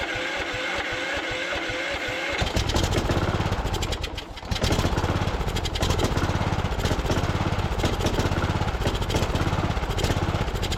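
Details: Cub Cadet LT1045 riding mower, non-running, choke frozen: starter cranks in an uneven churn, then the engine catches and runs on starter fluid; spark and compression fine, so fuel delivery is the fault.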